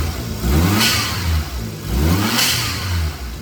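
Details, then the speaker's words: Suzuki Jimny automatic, newly installed blow-off valve, signal line teed off boost gauge line, stationary rev test: engine blips up and falls back twice, each trailed by brief airy hiss as boost dumps; blow-off valve working normally. "Seems to be working. I can at least hear it. Need to get it out for a drive and see. This is an automatic. So we'll see if we get the same levels of blow off sounds without having the ability to kind of control it with some shifting."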